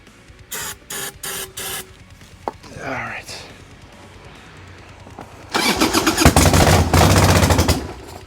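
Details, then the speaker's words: 1990 Harley-Davidson Sportster 1200 after 10 years in storage, with fresh gas and petcock open. Short cranking bursts, then the twin catches and runs rough about two seconds before dying; owner suspects lack of fuel. "yeah it definitely sounds like lack of fuel because like it starts and then nothing"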